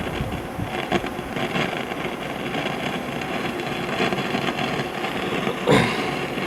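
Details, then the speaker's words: 1955 GE Musaphonic Model 581 tube radio (hybrid chassis with printed circuit board): steady hiss with a constant thunder-like crackle and no station anywhere on the dial, caused by silver mica capacitor breakdown in the IF transformers. "as you can hear, we have the same crackling thunderstorm effect that we always seem to have when we have the symptoms of SMD, which are bad mica capacitors and the IF transformers."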